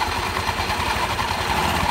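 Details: Scooter (Honda Beat) after CVT service and reassembly, started to test: small engine runs steadily with an even whirr from the open belt drive, no slap, squeal or grinding; transmission sounds fine.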